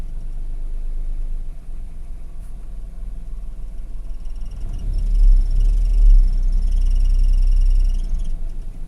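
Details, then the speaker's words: 2014 Daihatsu Ayla 1000cc manual, 15W50 oil with 5,000 km on it, earlier self-rising idle rpm; low even idle hum, no stumble or knock, faint high chirp midway that is bothersome from inside; engine smooth and healthy. "Kental, tapi suara mesin halus. Nah, halus kan? Ini kalau di luar ya juga halus, cuma itu kiki itu yang agak mengganggu kalau di dalam."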